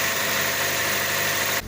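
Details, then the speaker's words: 2001 Opel Astra G, Z12XE 1.2 petrol, warming up after EGR valve cleaning and coolant top-up: a smooth, even idle with a faint steady whistle, no knocks or misses; idle normal. "But the engine sounds really good for now. I will let them warm up a little bit just to make sure it all the system airated because I have put some coolant over to replace the one I've lost."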